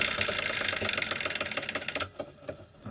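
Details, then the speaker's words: Tauco bench drill electric motor coasting down after switch-off: the centrifugal switch that cuts the start winding at speed is likely clattering as it recloses, with light irregular clicking over a fading hum. An intermittent whine might be the bearings or the switch. "when it goes to a certain speed a switch inside will disconnect that winding now I'd slowdown that is the switch most likely clattering a bit as it goes back into the closed position"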